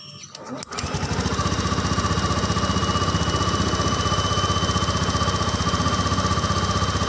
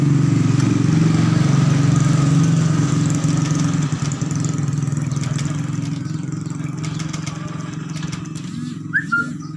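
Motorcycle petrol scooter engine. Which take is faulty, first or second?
second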